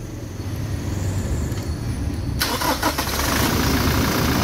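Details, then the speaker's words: Toyota 1GD diesel starting after alternator bearing replacement: quiet rumble, then catches and settles into an even idle with no bearing whine or growl; alternator now quiet, normal start. "Ayon tahimik na mga guys Ayan yung Bering na pinalitan natin"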